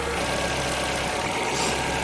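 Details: 2008 Ford Fiesta Mk6 1.2 manual after fixing a power steering fluid pipe leak: steady, even idle with a smooth low hum and no groan or whine from the steering pump, leak-free.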